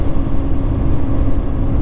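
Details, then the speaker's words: Semi truck parked at a stop during snowy winter trucking: heavy steady low roar with constant hum that never cycles off; engine cooling fan running on and on for no apparent reason, driver doesn't know why. "And now the truck is, I don't know if you guys hear it, but the fan is going on and on and on for no good reason. I don't understand."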